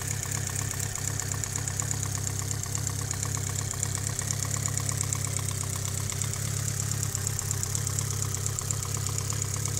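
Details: Mitsubishi Evo 8 at steady idle with a light quick sharp tick on top, sounding like valvetrain; owner suspects lifter tick, unconfirmed. Ticking at idle.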